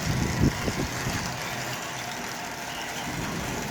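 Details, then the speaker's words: Lionel 33 standard gauge locomotive with a Marx motor turned way down on a 1033 transformer, light bulb dimming. A soft, even motor whir with audible wheel squeak and a few clicks, no roughness or strain. Normal smooth slow running. "A little bit slower, let's see here. So as you can see, this locomotive is running just absolutely perfectly."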